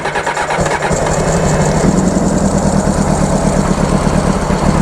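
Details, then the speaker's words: 1995 Honda CBR600F after sitting a very long time, fuel pump not pumping, WD40 put in: brief cranking chatter, fires within a second and holds steady even idle with no misses; healthy start, leak seen. "oh the motor sounds good just let it warm up a little bit before we go giving it the berries if you know what I mean"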